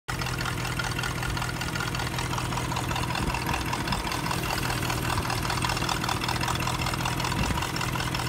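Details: L322 with BMW 4.4 M62 V8, 140,000 miles, idling: light, irregular metallic rattle over a steady idle, source unclear; possible VANOS fault suspected. Finding: engine rattle at idle.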